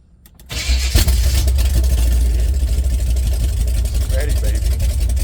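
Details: Chevy 454 swapped into a 1971/72 Pontiac LeMans, first start on open headers, foot off the gas: uneven, lumpy, shaking idle, a rough misfire. Owner suspects plug wires 1 and 2 were crossed, and plans to swap them.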